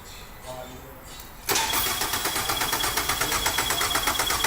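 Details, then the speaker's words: 2003 Nissan Altima, battery dead and on charger (14.2 V source), cranking during a positive-side volt drop test, battery positive to alternator positive; brief pause, then fast even cranking with no dragging; reading in range, healthy circuit. "Okay, so the first thing that you're going to want to do when you're testing the alternator is have somebody crank the car when you connect your leads to the positive here and the positive here on the alternator. Go ahead and crank it, Rob."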